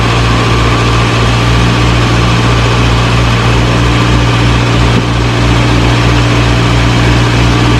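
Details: 1937 Morris 8, 918cc pre-war engine, first run on choke during recommissioning: steady tickover, low even hum, no knocks or misses; about 75 psi oil pressure, slight smoke as oil around the valves burns off.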